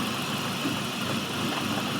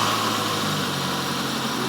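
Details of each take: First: Petrol engine idling with a line removed after the throttle body to create a vacuum leak. A steady, loud airy hiss comes over an uneven idle that won't hold steady. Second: Warm four-cylinder car idling normally during a vacuum leak demonstration: steady, even idle with a low hum, all four cylinders working, no misses, knocks or hiss.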